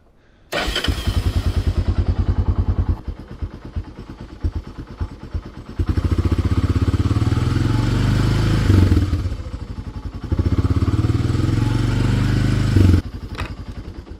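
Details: Honda TRX300 quad, after replacing a blown voltage regulator that had boiled the battery dry and caused over-voltage damage, expected to charge around 14–14.2 V. Starts and settles into a steady single-cylinder thump, even throttle blips, no misfire: normal running.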